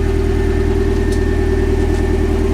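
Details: Mazda Miata engine started after crankshaft welding work: smooth, steady idle with a constant low hum and no knocks or ticks; running evenly and sounds healthy.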